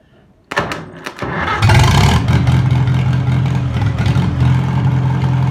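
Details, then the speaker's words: Old four-cylinder farm engine rested 15 years, running after its points were filed: cranks, catches, then holds a steady, low, even beat with no misfires or knocks; normal running. "sounds pretty darn good i'm going to shut it off and let it at"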